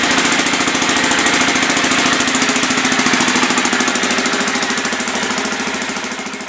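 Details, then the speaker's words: 2000 Aprilia Pegaso single-cylinder idling cold with choke on, stock dual exhaust: sharp raspy puff on every firing pulse from an exhaust leak, before exhaust replacement with a modified KLR 650 can. "now you can hear the exhaust leak and the choke is on right here where that exhaust Le keeps happening let's get that fixed up"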